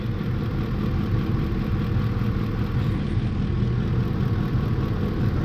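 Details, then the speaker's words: 2004 Ford F-150 with 5.4 L 3V V8 and flashing check-engine light: low, lumpy, stumbling idle with the engine rocking. Cylinder 8 misfire, rear driver side, attributed to a bad ignition coil. "r now the main thing I want to know why the engine is rocking and cylinder eight misfire detected that would kind of correspond to the engine shaking like like crazy"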